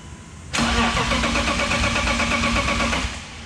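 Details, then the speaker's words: Boosted BMW E36 on a jump box after a new sensor was fitted: the starter spins the engine steadily for about 2.5 seconds with no firing. Cranks but won't start, still no rpm signal, cause unknown. "all right so clearly that sensor didn't fix the problem i have no idea what the problem is i have no idea why no we don't have rpm signal"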